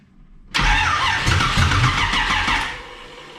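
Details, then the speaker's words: Camaro after new battery and distributor cap, timing being set with distributor swung: cranking about two seconds with ragged half-catches, never fires; timing suspected off; engine cranks but will not start. "doesn't like that timing let's let's throw a wild swing to it and see what happens"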